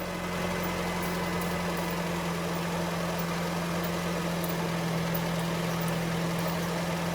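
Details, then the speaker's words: 2013 Honda Fit with 183,000 on the odometer, after replacing the catalytic converter gasket and fixing the exhaust leak: a smooth, even idle with a steady low hum and no puffing or ticking. The exhaust sounds normal and much quieter. "much quieter it's normal we're good to go"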